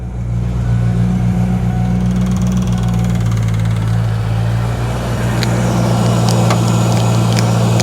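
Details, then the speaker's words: Wrecked 1993 Mustang Cobra after reconnecting fuel pump wires knocked loose in the tank; engine runs on its own with a steady deep rumble and light throttle blips, smooth and even; intake tube still off; healthy running. "Oh yeah, I hear the fuel pump now. [Music] There we go. Running under our own"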